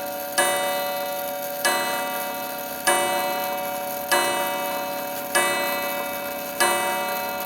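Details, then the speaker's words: Antique clock after repair, running about 5 minutes and striking 5 o'clock: ringing bell strikes about every 1.25 seconds, going past five; clock striking too many times. "That rang a lot more than 5 times. that was weird."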